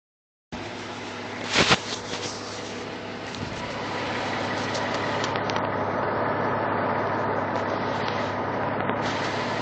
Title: Lifter Tick?